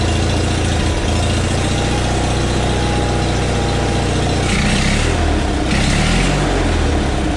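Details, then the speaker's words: Onan engine newly fitted in a John Deere 300-series garden tractor, warm, throttle not yet adjusted, air cleaner lid sitting loose: low, steady, slightly loping thump at a slow idle. Slow idle. "so I haven't adjusted the throttle yet but we'll go ahead it is warm because I've run it but we'll figure we might as well hear it run it's idle a little slow right now"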